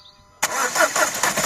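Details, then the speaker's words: 2012 Nissan Qashqai 1.5 diesel started and idling: a light, fairly regular tapping comes from the upper part of the engine; the knock appeared suddenly one morning and a faulty injector is suspected. "значит проблема в следующем раздается стук не сильный такой но стук исходит из верхней части где-то вот"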